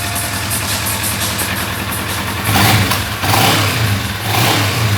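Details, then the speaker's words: Kawasaki ER-6n after crankshaft and bearing replacement for engine noise, washed and tested: even parallel-twin exhaust note with clean throttle blips rising and settling, no knocks or rattles; normal running after repair. "Olha só o barulho aqui do escape, ó. Aí, ó, foi lavada, já testada, pronta para ser entregue."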